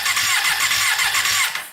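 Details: Custom Yamaha Banshee with 600cc sport bike engine swap, not run in a while, plugs pulled to check spark: rapid rhythmic cranking with a hissing puff each compression stroke, stopping abruptly; starter cranking with a spark plug removed, spark found in cylinder 2.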